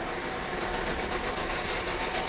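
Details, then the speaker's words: Steam locomotive oil burner on the fireman's side, steady even rushing hiss without pulsing or sputter as the steam atomizer blows tender-fed oil into the firebox; normal atomizer operation. "I have got an atomizer here which is nothing but steam pressure that blows the oil out into the firebox. You can hear it."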